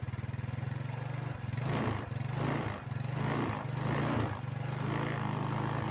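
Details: Motorcycle warmed up 1–2 minutes before starter check while diagnosing a battery that keeps draining; small single idles with a steady low thump and gentle throttle blips, returning to even idle; battery found fine, and the fault turned out to be the brake switch.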